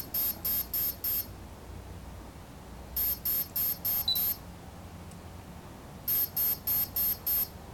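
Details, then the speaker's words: Align T-Rex 500 3G flybarless helicopter BEC speed controller programming: groups of short, high, evenly spaced beeps repeating, cycling through settings (helicopter soft start, throttle response speed); ESC programming beep sequence. "once you hear the three beep start set that to the low position the fourth which is aircraft I'm going to set the helicopter soft start so once you hear the full beep start move that to the center position which is helicopter one soft start"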